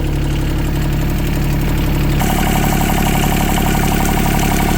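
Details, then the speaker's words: Yanmar 3TNV70 diesel newly swapped into a CAT 300.9 mini excavator, first run without glow plugs: steady, even idle with light regular clatter, no misses, no smoke. "It's quiet as a mouse. No smoke. I got to put the other uh I got to put the other weight back on. But yeah, sounds good. No smoke."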